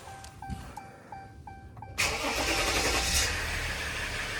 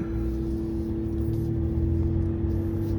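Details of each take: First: 2016 Ram 1500 3.0 EcoDiesel start after replacing fuel filter housing/water separator for P0183 fuel temperature code, filter primed in run mode first; warning chimes, then starter catches and diesel settles quickly into smooth even idle; normal start. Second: 2016 Ram 1500 3.0 EcoDiesel on test drive after fuel filter housing replacement for P0183; check engine light off but cooling fan still blowing hard, an original symptom; steady rushing roar and hum over diesel; fan at high speed, cause unconfirmed.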